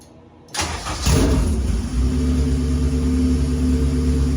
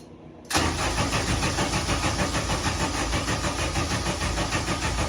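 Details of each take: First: K-series engine in a supercar build, successful start after an earlier no-start, with fuel pressure present: the starter cranks briefly, it catches within a second and settles into a steady, even idle with no knocks or misses, so a normal start. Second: K-series engine in a supercar build, first start attempt after wiring relays, with fuel pressure present: steady, even cranking at about three turns a second for nearly six seconds that never catches, so it cranks but won't start; the cause is unknown.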